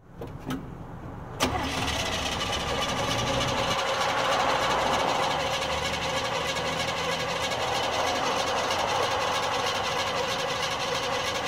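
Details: 1970 Chevy C10, December 2016: starter clicks in, then steady cranking churn for about ten seconds that never catches to an idle; cranks but won't start.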